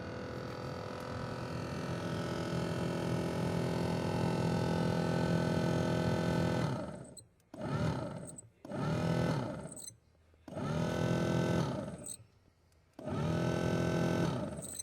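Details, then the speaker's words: 2000 Chevrolet pickup that sat in a field for about 5 years: the blower motor roars with a gravelly growl on speed 5 and cuts out as the switch cycles from 4 to 5. Low speeds don't work. A dry blower motor bearing is suspected. "I'm just cycling the switch from 4 to 5. Definitely sounds like a dry bearing or something in the blower motor."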